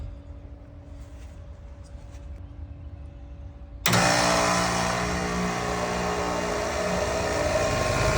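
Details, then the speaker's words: Outdoor AC unit that had been buzzing and chattering, after the failed contactor was replaced; kicks on and settles into a steady, even hum with fan rush, no chatter or buzzing; normal running. "Their unit is nice and quiet and there you go."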